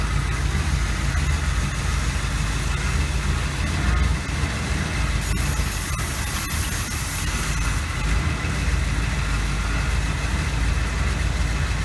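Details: 1986 GMC Sierra with a 400 small block, after a distributor rebuild and valve adjustment, owner suspects old fuel: deep, steady V8 rumble at idle, even with no ticking or misses; runs smoothly.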